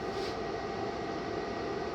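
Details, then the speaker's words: OUBOTEK 2000W pure sine wave 12V-to-120V inverter, just after a 1500W heater load was switched off, camera close: steady even whoosh of its cooling fans with faint hum, not loud, no ticking or rubbing; normal fan noise, shutting off soon after. "And you know, they're not super loud. You can hear them running, but you know, this is not one of those inverters where they're just like roaring, and you know, it didn't take them long for it to turn off."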